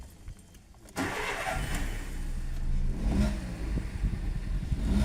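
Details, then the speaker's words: VW Polo after fixing rough idle and an EPC light by fitting four new spark plugs (a dirty or damaged plug was the cause): cranks briefly, catches cleanly and idles steadily, no vibration, EPC light gone. "So the engine is no longer vibrating, so everything is sharp."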